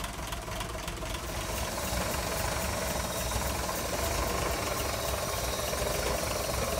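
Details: 1958 Ford panel truck engine idling before valve adjustment: a light, fast clacking rides over the idle at about three per second. One valve had far too much lash; afterward lash was set to about 0.019 in.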